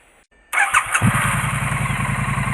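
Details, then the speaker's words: Triumph Street Twin after replacing a damaged, loose spark plug that leaked combustion gas out the weep hole, both plugs renewed and drain holes cleared: catches within half a second and settles into an even, steady twin idle, no blowing. "like can there's no blowing anymore of where the spark plug was loose it must have been blowing through the weak pole of Spar plug"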